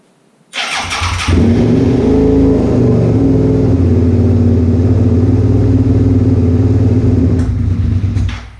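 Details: 2001 Suzuki SV650S V-twin, first start after modifications including all 8 valve shims: fires instantly, settles into steady even idle; normal start and idle.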